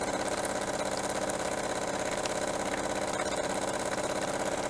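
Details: Jura coffee machine after heater replacement, heater previously clogged with scale: steady even pulsing pump buzz about three beats a second with no stumbles as the heater fills; pump operating normally.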